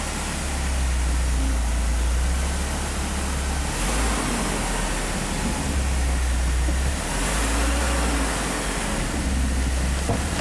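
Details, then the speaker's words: Mazda MPV running after a replacement transmission install, shifted through the gears: a steady, even low rumble with small dips as gears engage. The transmission engages normally and reverse works; the neutral safety switch is intermittent. "The reverse definitely works."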